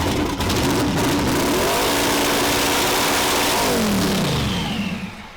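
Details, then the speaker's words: Ford T-Bucket on E85: revs rise and fall with an uneven, lumpy, tractor-like rap; rough and laggy, owner suspects the cold running and too-cold 9 plugs. "A lot of the comments say it sounds like a tractor. Most of the time when you see me beating on it or doing shit with it, it's cold. E85 doesn't like cold."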